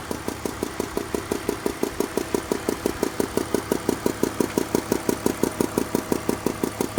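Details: 2002 BMW 320i E46 at idle, crisp very even tick about once a second, seemingly from cylinders 3 and 4, a light tapping up top; lifters suspected, cause not diagnosed.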